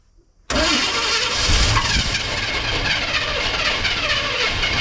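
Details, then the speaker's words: Abandoned square-body C10 with gas poured down the carb and wires jumped to the battery: while cranking, touching the coil/HEI makes it catch into a rough, uneven, sputtering run with hiss; it fires only briefly on poured fuel. "It kind of runs. You couldn't see me over here, but I was cranking and I touched the coil so you can hear it."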